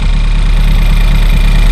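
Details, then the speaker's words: Ford Fiesta ST180 1.6 EcoBoost direct-injection engine at idle: fast light ticking over steady petrol idle, believed from the high-pressure fuel pump, whose cam bucket wears concave; owner replacing the cam bucket. "this noise I believe is from The High Press fuel pump from this little 1.6 EcoBoost direct injection engine at the back there is a cam and a little cam bucket that r the high pressure fuel pump and it starts to concave and wear and when it wears you get a Ticky noise"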